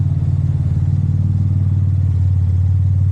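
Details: Cadillac CTS turbo LFX 3.6 V6 after rebuild (LF4 rod bearings, King mains, +15% fuel cam), idling after restart with exhaust dumped: deep, loud, even pulse, steady rhythm, no ticks or knocks; small V-band leak noted, engine idling healthy.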